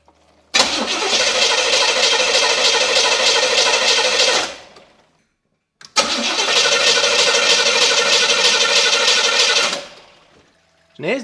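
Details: Car cranked on the starter in two even bursts of about four seconds each but never fires; a knocking sound comes from the tank area and fuel is being pushed through during cranking; cause of the no-start not confirmed.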